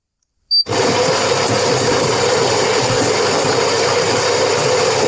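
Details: Gaggia Platinum Vogue (Saeco Odea type) coffee machine after gearbox motor replacement, fixing "feeding failed" start-up error: click, then steady loud mechanical whirr with fine ratcheting buzz; grinder and brew drive now working normally.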